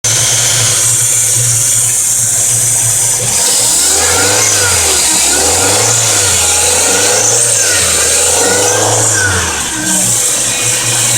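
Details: Fiat Palio Fire engine: constant high whirr over the engine, persisting as it is blipped, louder when cold; timing belt, tensioner, alternator and water pump ruled out, fixed by replacing the oil pump.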